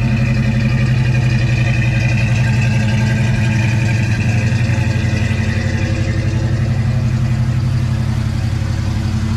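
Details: 1989 Mustang 5.0L notchback, AOD, converted from EFI to a Holley 600 CFM carburetor with aftermarket low-pressure fuel pump: deep, even V8 burble at idle with a steady beat, no misses, ticks or knocks; normal idle.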